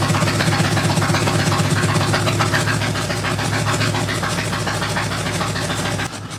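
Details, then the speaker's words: 1997 Harley-Davidson Evo Big Twin Road King after new intake and exhaust gaskets: it idles with a loping, uneven beat. Spraying starting fluid showed the intake fine but a leaking head gasket joint. "So you can hear that the bike's running, but something doesn't sound right to me, so I've got my can of starting fluid again. I'm gonna go double check the intake, which seems fine. And then after doing that, I walk around to the other side and start spraying the head gasket joint. This wasn't fine."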